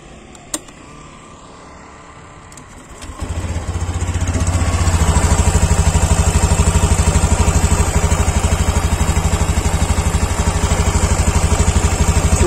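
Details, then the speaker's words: Honda Beat Deluxe scooter idling with the cylinder-head breather hose pulled off: engine fires and settles to an even idle of about three pulses a second, note clearly different from normal; if the hose gives no sound it is clogged and must be replaced. "Ketika ini nggak ngeluarin suara, ini berarti mampet selangnya. Anda wajib ganti."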